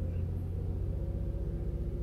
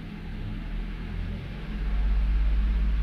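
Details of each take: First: Toyota Avalon after a cold-start cylinder 1 misfire repair: a steady, even low hum held at about 2000 rpm with no stumbles or skips (idle about 800 rpm); the engine now runs clean and the problem is solved. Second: Toyota Avalon misfiring mainly when cold, confirmed on cylinder 1, with an injector suspected: low, lumpy idle with an uneven pulse, occasional stumble and felt shaking; a cylinder misfire.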